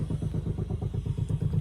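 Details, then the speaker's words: VT V6 Commodore at first start-up after refuelling idles roughly, with a deep, even chuffing pulse about seven times a second and a throbbing muffler; it nearly dies when revved. A shot muffler or exhaust leak is suspected, not confirmed. "Oh, we got an exhaust leak by the sounds of that. The muffler is throbbing."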